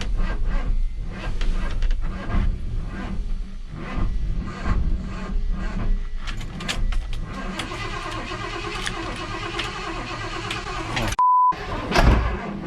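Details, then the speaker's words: 1978 Ford F100 V8 on jump pack with low battery voltage after exhaust sealed: uneven churning crank pulses continue without catching after key turned off; owner suspects the old starter, not confirmed; starter keeps cranking after key off. "better well that's weird maybe this thing is causing the issue cuz I turned the key off and this thing kept on cranking so maybe the starter still was the problem the whole time"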